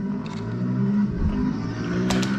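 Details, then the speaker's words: Infiniti G35 V6 idling with an uneven, stumbling, sputtering beat that surges and dips. Misfire suspected, being diagnosed with spark plug replacement and an injector balance test. "let me get some more light but yeah it's sputtering sputtering like it's a misfire so"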